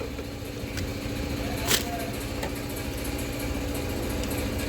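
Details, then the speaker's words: Renault Kwid at idle after replacing faulty accelerator pedal diagnosed with Launch Creader scanner for high-rpm problem: even, settled idle with steady low tone, no surging or racing; idle now normal. "இப்ப பார்த்தோம்னா sound வந்து கம்மி ஆயிடுச்சு பாருங்க ஆட்டோமேட்டிக்கா"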